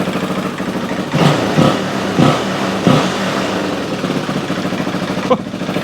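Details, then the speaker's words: 2003 Honda XR400 single-cylinder, first run after valve clearance and cam timing checks, having been brought in as a non-runner: ticks over evenly, takes quick throttle blips and drops back to a steady idle; runs healthy. "I tell you now, that runs pretty damn good."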